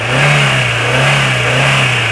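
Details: 2010 Hyundai Getz, single owner, not a taxi: the engine revs with a smooth, even, steady drone and no knocks, ticks or rattles. Healthy engine.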